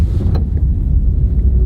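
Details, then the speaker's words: Used V6 SUV with 174,000 miles that burns no oil, accelerating on the road: deep, even, smooth engine rumble pulling steadily with plenty of power, no knocks, misses or whine, and barely felt gear shifts. Normal, healthy engine under acceleration. "Still has plenty of power, zooming around, smooth. That's why I like these V6s. Smooth power."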